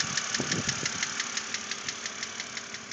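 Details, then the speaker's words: 2006 BMW Z4 3.0si at idle, about 19,066 miles: sharp, even metallic ticking about three per second over a steady idle. The lifters were already replaced with no change, and the owner hopes a head replacement cures the knock; cause unknown. "it was in once before to have the lifters changed to try to get rid of this knock but uh it didn't do anything as you can"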